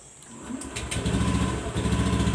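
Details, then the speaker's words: Honda Beat Street scooter (2017–2019) after full service and CVT upgrade fixing a sticking, self-revving throttle: started with the starter, the engine settles straight into a steady, even idle without racing; normal. "Tidak besar langsung meraung-raung guang guang guang gitu, Guys, ya."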